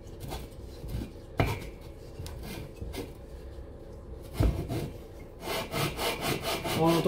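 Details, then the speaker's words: Cox 1600 engine, lapping cylinder barrel onto head (no gasket between them) with coarse paste on cylinder 2: gritty rasping strokes with sharp intermittent catches and grabs; barrel and head seats still have high spots, not yet flat. "On va écouter le bruit encore et encore. Voilà, attention, on va entendre que ça reprend, hein."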